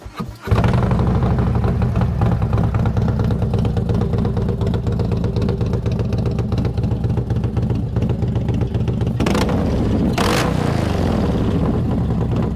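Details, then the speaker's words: Kevin's Harley-Davidson trike after new cam and lifters install (dyno tuned for torque, traditional Harley sound sought): fires up into deep uneven loping rumble at idle, steady lumpy beat, quick revs; owner says sound is better than expected. "So that sound is exactly what I was after. In fact, it's better. I didn't think it would be that good."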